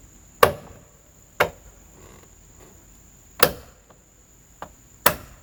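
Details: Bitter SC: single sharp knocks as the door opens and closes, quiet click between; door catch snapping against the body. Likely a worn rivet hole in the A-pillar rod or a loose mechanism; a lock-nut screw didn't help.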